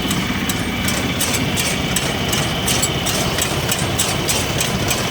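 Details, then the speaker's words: Single-cylinder two-stroke engine of a Japanese self-propelled round baler settles into a steady, even idle with a regular light beat and no misses; normal idle. "Двигатель одноцилиндровый, двухтактный, работает ровно, без каких-либо перебоев."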